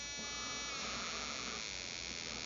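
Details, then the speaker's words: RCexl DLE30 ignition on a tester at high rpm (7,000–15,000), powered by a drained A123 1100 battery through a dual-diode reducer, seeing about 4.7 V: high, even buzz with no missed beats, same as on a full battery; normal. "if you listen to it spark plug sounds just the same as it did on the full battery so the arc 6L is not at all unhappy running at 4.7 volts"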